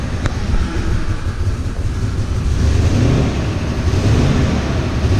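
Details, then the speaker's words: Dodge Ram 1500 with a replacement 4.7 HO V8, warming up on new antifreeze: a low, uneven rumble that surges and sags and stalls when off the gas. The gauge shows no oil pressure despite a new sender, but there is no banging. Rough running, cause unconfirmed. "you can hear it and it won't idle if i let off the gas stalls"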